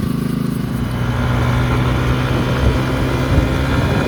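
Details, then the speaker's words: 2009 Kawasaki KLX140 dirt bike, sat about two years, jump-started with no battery, plastics still off: small single pulls smoothly and steadily, even exhaust note, no misfires or knocks; runs pretty good, normal running. "it sounds like it runs pretty good though I just got to clean it up now put the Plastics on there and clean it up"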